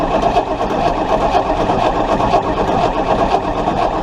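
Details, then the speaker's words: Chrysler 318 V8 cranked during a spark test, a tiny spark then none; steady, even churning with no firing pulses catching: cranks but won't start, no spark. "We got a tiny bit, but it stopped. All right, try it again. Okay. Well, we're not getting spark."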